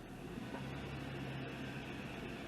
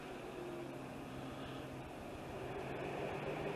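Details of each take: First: 2003 Acura TL after replacing the ignition coil for P030X misfire codes and flashing check-engine light: even, steady engine note with no stumble or shaking; smooth normal running, fix confirmed. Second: 2003 Acura TL V6 with a flashing check-engine light and several P030X codes (P0303), idling after codes were cleared: uneven, lumpy beat that feels like a single-cylinder misfire; the first cylinder to set a code will be checked first.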